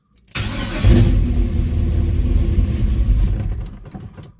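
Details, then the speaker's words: 1974 Camaro Z28 with a 400 engine and Turbo 400 transmission, cold start on choke: quick crank catching straight away into a deep, steady, crisp rumble that holds and settles; normal cold start. "And I can tell you now that the 400 is a really beastie sounding 400."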